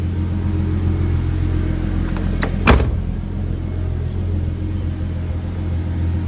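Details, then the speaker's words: 1990 Nissan 240SX, R34 RB25DET swap, failing fuel pump and filter: pump unplugged while running to empty the lines; steady low idle rumble keeps going unexpectedly, one sharp clunk midway, leaning out on residual line fuel. "dang this thing's still going it's not even plugged in oh what the heck how is this running right now"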